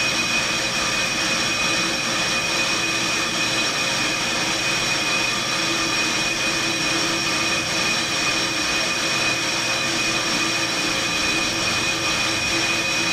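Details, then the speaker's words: On-car brake lathe cutting a brake rotor with anti-chatter pads fitted, after the clutch click: steady high-pitched hiss with a thin constant ring, no chatter or grabbing; normal, clean rotor machining. "that click indicates that the clutch has been applied and you can now hear that the rotor is starting to cut"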